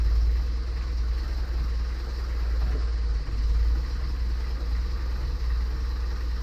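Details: 1977 Triumph TR7 idling on an auxiliary fuel tank feeding the mechanical fuel pump, after an easy-start attempt: deep, even, smooth idle with no misses or knocks. The viscous fan is broken and rattles.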